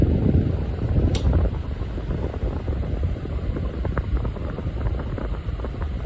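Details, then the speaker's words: Lasko model 2000 table fan fitted with the blade from a newer fan, running on medium-high with oscillation: steady, even airy whoosh with a low hum, no wobble, thump or rattle; much better balanced with this blade. "let's go to medium high it is actually much better balance with this blade"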